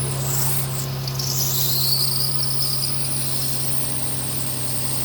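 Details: 2007 Nissan 350Z engine bay, owner unsure where the noise comes from: thin high squeal sliding upward in pitch over steady idle hum; same noise with air conditioning on; source not pinned down.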